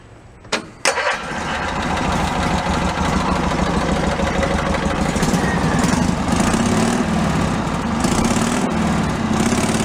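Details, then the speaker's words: Cushman Meter Maid with a trial exhaust made from a cut-down motorcycle muffler, one outlet corked: quick crank, catches and settles into a steady, even exhaust putter with no misses. Normal idle, runs cleanly. "I actually kind of like it."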